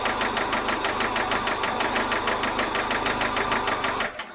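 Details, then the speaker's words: Toyota MR2 5S-FE engine running: loud hard evenly spaced knock about three a second following rpm until shutdown; rod knock from a failed rod bearing. "if any of you have ever heard of rodnock or want to know what rodnock sounds like this is exactly what it sounds like uh follows the rpm it's loud it's i mean that rod is gone"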